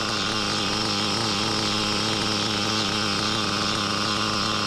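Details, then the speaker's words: Used REDS R5T nitro RC engine running at steady high revs: harsh hiss over its buzz persisting after changing the clutch bell; suspected failing rear crankshaft bearing. "well sadly still making the heing noise I think it's a rear bearing so yeah I have to change your rear bearing"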